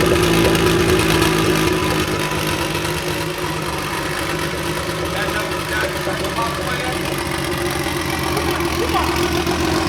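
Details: DeLorean with swapped Kia twin-turbo V6, first start on base map from a previous Kia engine, warming up: steady even idle with smooth low rumble, no misses or knocks; normal idle.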